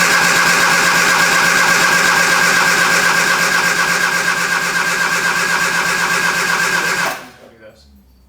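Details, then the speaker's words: 1973 Triumph Spitfire after sitting three years, cranked with some throttle: steady starter churning about three beats a second for seven seconds, engine never catches; owner suspects it isn't getting fuel yet. Crank, no start. "Okay. So, I think it just doesn't have gas to it yet, but it it runs and it is nice and quiet to your face."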